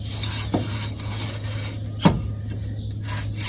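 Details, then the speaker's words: Infiniti M45/M35 RWD front wheel spun by hand before hub, pad and rotor replacement: repeated dry rasping scrapes each rotor turn as the worn-low brake pad rubs the disc. "That's because the pin for the brake caliper, or not the brake caliper, the actual brake pad is hitting the disc, which is causing a screeching sound, which means your brake pads are low."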